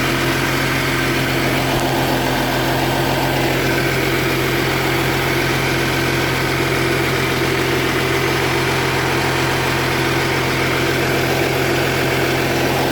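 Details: 2010 Audi Q7 TDI at idle with the check engine light on: a rough, puffing chuff rides over the diesel clatter. Exhaust leak, later resolved by Audi.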